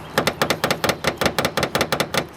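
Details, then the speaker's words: Honda Accord idling at a stoplight: fast light metallic rattle, about five doubled taps a second, from loose hood against latch; first fix to try is adjusting rubber hood seats/stops. "now when you're sitting in a stoplight and if your engine rumbles a little bit you can have a a rattling noise that comes from your hood being loose"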